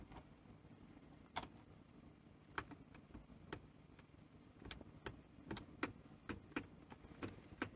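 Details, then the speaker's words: NEC PVC-740 Betamax VCR: sharp uneven clicks about every second over a faint hum as a relay keeps pulling in and dropping out; clock goes off, suspected bad 12 V power supply rail. "um so yeah I'm not even getting a you can hear relay clicking you know and it's trying to"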